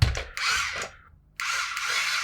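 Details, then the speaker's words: Cheap Star Wars R2-D2 toy on about 6.3 V DC bench supply, remote-controlled: tiny geared head-drive motor whirs in short gritty bursts that cut out and restart; head movement is getting stuck, binding suspected, not confirmed. "It's because it's getting stuck."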